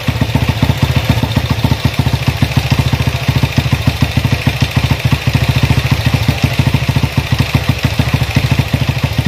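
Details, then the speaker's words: Honda CB motorcycle with newly fitted PWK 30mm carburettor after fixing stutter at full throttle: steady thumping idle, then smooth clean revs up and down, no misfire. "untuk lamsamnya sudah bagus ya dan juga gas-gasannya udah enak"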